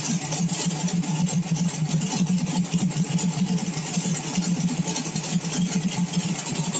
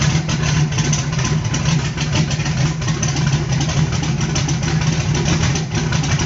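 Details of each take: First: Small-block V8 on pump E85 through a CSU blow-through carb, no choke or extra cold-start fuel, cold start on a warm day, now warmed past 140: even idle around 850–900 rpm, smoother, soft steady pulse, no misses; normal idle. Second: Carbureted small block on pump E85, CSU blow-through carb, no choke or aux fuel, cold start, engine around 100 degrees, sound should change near 140; steady deep idle, slightly uneven and lumpy; cold E85 not yet burning cleanly.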